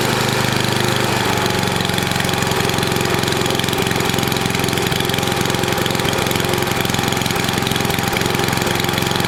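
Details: NOMA 8hp snowblower, single-cylinder, after clearing a plugged gas line: steady even chug, no misses or surging; runs fine, warmed up to drain old oil.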